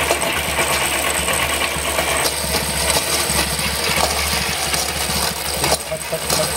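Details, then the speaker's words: Honda SP125 BS6 motorcycle, 42,417 km on chain and sprockets: loose uneven clattering over a quiet single-cylinder idle; stretched drive chain slapping, adjuster already at its limit. "सबसे पहले bike on कर लेता हूं गाड़ी के start कर लेता हूं गाइस चेन में काफी ज्यादा नॉज है"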